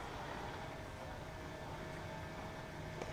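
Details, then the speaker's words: 2009 BMW 335i 6-speed manual, ignition on with engine off, heater at max and fan low, during coolant bleeding after a partial flush; electric coolant pump runs with a quiet steady hum and faint mid-pitch tone, cycling on and off about 12 minutes. "And if you hear the electric pump, so the electric pump just came on and the bleeding procedure has commenced. The electric coolant pump is going to turn on and off automatically for about 12"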